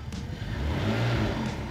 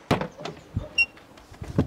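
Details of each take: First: BMW E60 revved with a component disconnected, after a connected rev had produced a vibration that sounds like an exhaust leak but is not one: a clean pitch rise with a smooth, deep exhaust note and no buzzing rattle; sounds better. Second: BMW E60 being prepared for an ITV inspection: the engine fires into a loud, rough, blatty drone as exhaust escapes mid-pipe through a leaking joint whose bolts are broken or stripped; exhaust leak.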